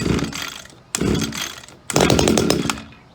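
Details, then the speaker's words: Echo SRM-2400 string trimmer, believed mid-1990s, cold start with switch on, choke out, primer pressed about six times: three starter pulls each giving a short sputtering burst nearly firing; then push choke in. Normal cold start. "after you hear it act like it want to start just simply push the choke back in and it should start"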